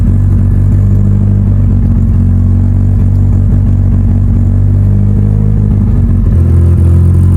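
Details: Mitsubishi Evo before dyno prep, cold engine, first start of the day after installing both fuel pumps as the fix; loud, steady low drone with even pulse, no misses, knocks or stumbles. Normal idle after repair.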